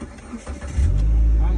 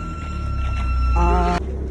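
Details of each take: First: Proton Exora after a DIY fuel pump replacement (the old pump caused a buzzing whine): brief cranking, then the engine catches within a second and settles into a steady, even rumble; clean start. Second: Proton Exora that would not start, fuel pump suspected then replaced: thin steady high buzz over low engine drone, constant pitch; buzzing identified as failing in-tank fuel pump.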